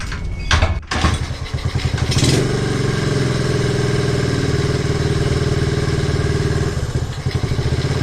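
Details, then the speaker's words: 1969 Honda CT90 Trail, 53 years old and previously not running: first start after fitting a new ignition coil, before the air cleaner was fitted. A few cranking bursts, then it catches and settles into a quick, even, healthy thumping idle with no misses. "sounds pretty good so now I got this little air cleaner that I'm going to put on here"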